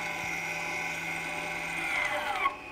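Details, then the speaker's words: Electronic parking brake closed with an EPB service tool via OBD2 after fitting new pads; steady motor whine from both calipers, pitch rising as pistons load, then cutting off once at tension; normal apply. "you hear they're now up to tension"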